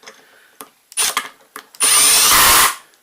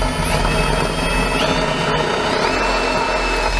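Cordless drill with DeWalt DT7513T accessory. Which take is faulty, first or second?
second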